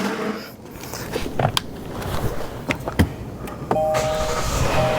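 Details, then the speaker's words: 2021 Kia Telluride after replacement of the broken sunroof frame and mechanism, with the engine idling. A few clicks, then a steady motor hum until the sunroof fully closes; it closes normally. "it up hitting the button it's closing closing pushing it down closed done easy finished"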